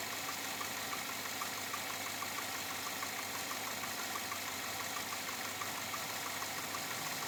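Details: 2007 Chevrolet Avalanche at about 86,000 miles, steady idle with a light, regular tapping at a constant pace; owner asks whether it is engine knock or piston slap, unresolved after four dealer visits.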